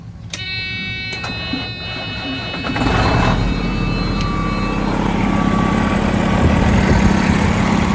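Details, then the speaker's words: Detroit diesel in a Freightliner FLD truck project: starter whir, then the engine catches and settles into a steady, quiet, even idle with no knocks or misses. Normal diesel start and idle. "God, that sounds good. I love a good, quiet Detroit. That is awesome."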